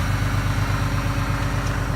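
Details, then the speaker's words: 2012 Ram Cummins diesel with deletes, idling in sub-zero cold without grid heater or block heater, exhaust brake off, power-reduced warm-up message shown: even low diesel clatter with faint turbo hiss; normal cold idle. "You can actually hear the turbo. There's something that says it's reducing power."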